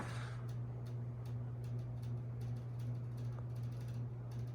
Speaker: Yeah, this fan is wobbly. You can hear it rubbing against the motor housing. I think one of the blades may be off B.